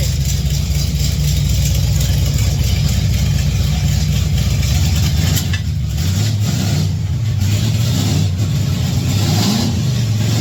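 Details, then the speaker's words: 1959 GMC pickup V8 after a new 3in exhaust with single-chamber mufflers replaced open headers: deep, steady, choppy rumble with throttle blips and no rasp or leaks. Much quieter than open headers; healthy. "I like it sounds good it's not as ear piercing being open there but still has plenty plenty of"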